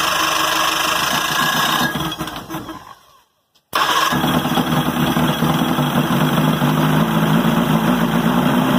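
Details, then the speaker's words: 1978 Johnson Evinrude V4 115 outboard, first start in a couple years after carb job and fuel system flush, primer start, 120 psi compression all four cylinders: cranks, stops, then fires into busy, even two-stroke run without misses; normal running. "all right sounds good check the compression earlier and there's 120 on all four cylinders"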